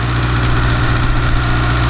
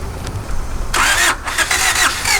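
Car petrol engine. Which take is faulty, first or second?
second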